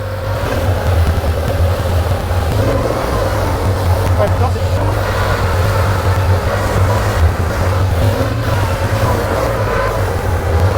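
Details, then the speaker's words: Porsche 911 2.8 RSR build flat-six, after repairs to dead cylinders 1 and 5: deep, even rumble holding steady with no misses; cylinders balanced, idles beautifully, normal. "That is what it's supposed to sound like. Very happy. It runs, it idles beautifully now."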